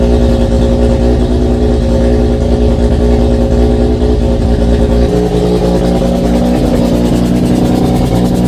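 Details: Mazda RX-7 FC3S rotary on Haltech Elite 1500 with stock BAC idle valve at 10 Hz, 60% max output, flex fuel, untuned: holds a fast, steady high idle without dropping off; settings let in too much air.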